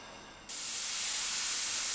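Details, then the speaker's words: Pressure cooker of dal on the stove: half a second of quiet, then a sudden loud, steady hiss of escaping steam as the cooker reaches full pressure, which is normal. "So now the pressure cooker is up to pressure, and as you can see, steam is starting to escape and you can hear it hissing."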